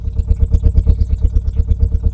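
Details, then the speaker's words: Renault Clio Mk1 1.8 16v, first start since last on road 2017, old bad petrol: hard open-pipe thumping at quick even idle, very loud and raw; no exhaust system fitted. "Unfortunately, it's a bit loud because there's no exhaust system on it. And it stinks because it's old fuel."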